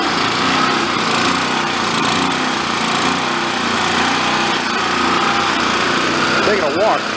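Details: Vintage Coleman Powermate 1500 W petrol generator, long sat unused, revived, running unloaded while output frequency is checked for about 60 Hz: steady even drone, no misses, surges or knocks; running normally.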